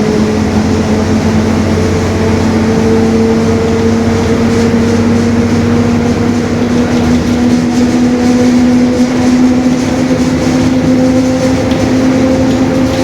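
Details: 2021 Marcopolo Torino S urban bus on Mercedes-Benz OF-1721 BlueTec 5 chassis, under way; steady hum rising in pitch with road speed over the engine drone; differential growl.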